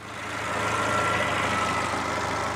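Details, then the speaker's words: Mercedes A-Class A160 after repair of noisy engine: smooth, even idle with no rattle or knock; noise was traced to the crankshaft bottom pulley, not the water pump; normal idle. "silky smooth okay so it turned out it wasn't actually the water pump it was the bottom pulley on the engine"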